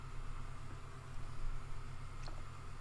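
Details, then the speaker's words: Apple Power Mac G4 Cube with newly installed hard drive, booting without startup chime: steady low hum of platters spinning but no seek clicks or head chatter; drive spins yet does nothing. "well I can hear this hard drive spin but I can't hear it do anything else"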